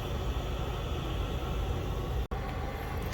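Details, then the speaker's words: Diesel heater in its second season, which once had contaminated fuel, running after ignition with the glow plug off and the fuel pump on. The blower gives a smooth, even low roar at high speed with no knocking or surging and puts out warm air; normal. "now the fan is actually ramped up in speed and it is already putting out warm air"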